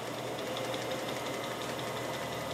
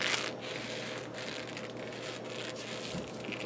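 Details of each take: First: Atlas 618 lathe running on orange belts: a soft steady whir with a faint light tick about six times a second, a whisper-quiet, normally running belt drive. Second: Atlas 618 lathe running with new orange drive belts: scratchy squeaky bursts about every second over the running noise from the belt itself, possibly just because it is new; occasional belt vibration also noted.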